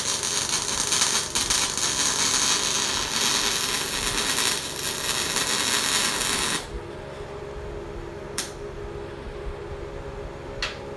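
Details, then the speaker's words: Everlast Lightning MTS 275 MIG welder test after wire feed stopping, skipping and stuttering, and a contact tip check: about six seconds of steady, even arc sizzle with no stutters or pops; wire now feeds smoothly. "all right that's not bad i didn't want to waste any gas if it wasn't gonna work here we go"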